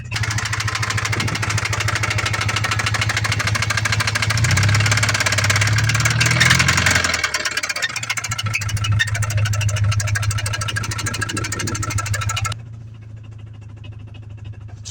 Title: 2003 Subaru legacy l sedan rod knock